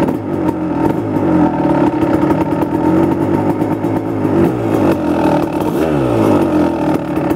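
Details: 1999 Kawasaki KX250 Splitfire two-stroke, first start after full rebuild; crisp crackle rising and falling cleanly with throttle blips, no rattles or misses; normal running and revving.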